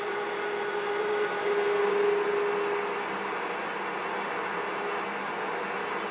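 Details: IZh 250 ITV lathe newly reassembled after overhaul, turning a gas-cut bar end for a tailstock centering holder. Steady cutting hiss with a faint fine high-pitched chatter about four times a second: an insert chipped on the hard gas-cut end.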